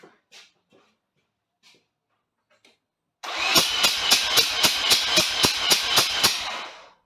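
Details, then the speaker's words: Mazda FC RX-7 rotary: steady starter cranking about four pulses a second without firing; no spark and no RPM or ignition trigger from crank angle sensor, later traced to a bad ground. "when i spin it either way i've got no um rpm or ignition trigger and obviously i've got no spark"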